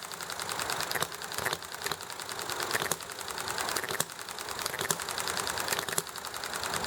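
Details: Enjomor model engine running well: sharp firing pops about once a second with quiet coasting gaps in a steady even cycle, amid highway noise, alley traffic and neighbor chatter; normal running.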